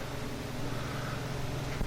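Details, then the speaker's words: Newly installed Mr. Heater Big Maxx natural gas unit heater, microphone very close: blower fan comes on after the burner lights, steady low hum and even whoosh with no rattles; normal blower operation. "so we're waiting now for the blower fan to come on the blower fan will come on in a second here there it is"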